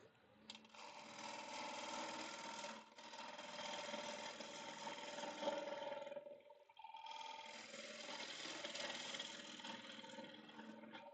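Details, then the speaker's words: Second turn of a bowl blank on the lathe: faint steady tick about four times a second over the lathe hum, from a loose, soft bark/void section slapping each revolution that is about to come out. "There it is. You hear the tick, tick, tick, ticking away. Yep, there it is. It wants to come out. It's loose."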